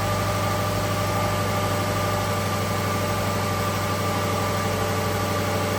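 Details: 2012 Subaru Legacy 2.5 EJ25 SOHC after head gasket replacement, exhaust smoking off as it heats: smooth, even low hum with steady pitch, no knocks or ticks; settled, healthy idle.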